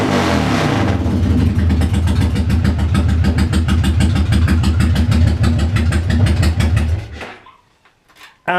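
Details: Engine after starter clutch repair: catches straight away and pulls up cleanly through a few blips, even firing throughout, then shuts off. Normal start and rev.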